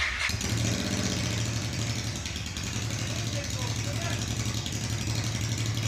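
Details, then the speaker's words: Honda NTV650 V-twin started after about 10 years off the road, petrol on reserve, recorded on a phone: deep, steady V-twin burble with even pulse, no misses or knocks; running quite well, normal running. "I don't know how well that's going to come out on this phone but you can hear it runs quite well bearing in mind device went off the road and not used to start it for 15 years I'd say that's the success"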